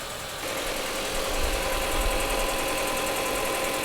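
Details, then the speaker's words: 2004 Audi A4 B6 after sitting three years, just jump-started, possibly old fuel: uneven lumpy idle with irregular stumble under steady hum; running rough, cause not yet known, leakdown test planned. "oh it start s it's alive give it doesn't sound good but it's running"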